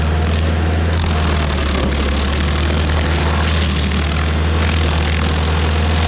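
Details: Stump grinder with freshly rebuilt motor (piston cleaned), first job on a willow stump: deep, even low rumble under grinding load with no misses or knocks; running healthy. Oil left on the heat shield burnt off.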